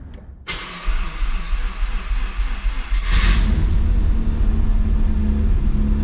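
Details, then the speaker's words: Mazda RX-7 rotary that is losing coolant to an unknown place, possibly the rotors, started in first gear with the clutch pressed: slow, labored cranking, then a loud, uneven high idle. A rough, hard start; cause unconfirmed. "um but it will have a rough start you will most likely hear it"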